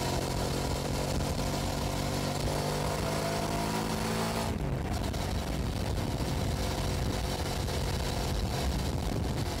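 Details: 2006 Hyosung GT650S V-twin at about 100 km/h on a test ride after a carburettor clean that cured single-cylinder running, camera on the bike. Even drone with wind rush, no misfire. Both cylinders firing cleanly.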